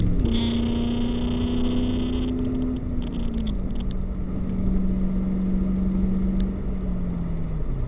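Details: 1998 Ford Mustang GT V8 after a PI head swap with ported and polished heads: deep, steady rumble that settles and drops smoothly in pitch as revs fall back, no knocks or misses; runs healthy.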